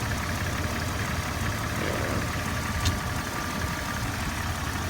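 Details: 2001 Jeep Cherokee Sport 4.0 with 200,000 miles at idle: a light, steady tick-knock under the rumble. Owner is unsure whether it is lifter tick, piston slap or rod knock; it has sounded this way for about 100,000 miles and runs fine.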